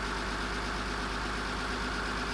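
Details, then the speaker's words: 2001 Mitsubishi Eclipse GT idling steadily with a low, smooth rumble and no knocking, after replacing worn rod and main bearings (knocking rod bearing custom fitted) and new oil; bottom end sounds healthy, temporary fix. "not too bad [Applause] kind of has a nice little rumble to it also actually very sweet"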